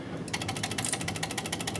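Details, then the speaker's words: Audi S4 Quattro 2.7 turbo at key-on, no start: rapid, steady clicking about eleven a second from the drive-by-wire throttle body, traced to a bad main engine computer ground; car also stalled randomly over bumps. "And you can actually hear that clicking sound right now. This is his symptom, that this car will not start right now with this noise. And what we found is that noise is actually this throttle body assembly."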